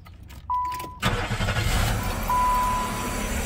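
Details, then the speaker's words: 1995 Chevrolet Monte Carlo with a GM 3100 3.1L V6 and 190,000 miles. The engine cranks and settles into a rough, gritty whirring idle from a bad bearing in the AC compressor clutch. "And there's our problem, the AC compressor clutch. We are going to start it here. Now it will be noisy because of this AC compressor clutch."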